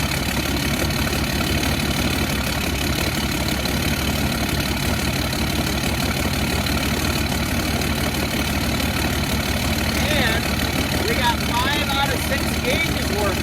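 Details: Cummins diesel swapped into Humvee hunting rig, new transmission oil pan, first fire on self-contained fuel system with new fuel cell, some air bubbles still purging: steady even diesel idle, no knocks or misses; normal diesel idle.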